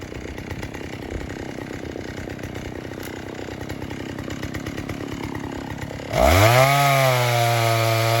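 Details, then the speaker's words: 1960s Stihl 08S two-stroke chainsaw, about 60 cc, after over-rich high jet was eased back: choppy burbling idle, then snaps up to clean steady high scream without bogging; owner thinks it's set really good now, normal running. "So I eased it off. I think it's set really good now."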